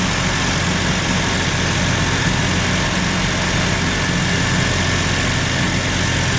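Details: Mazda RX-7 rotary, failed annual inspection with very high CO (2.70): heavy uneven idle drone with slight stumble, shaking; misfire worst with slight throttle; no oil pressure shown, no leaks; ignition leads already measured; rough idle, cause not yet found.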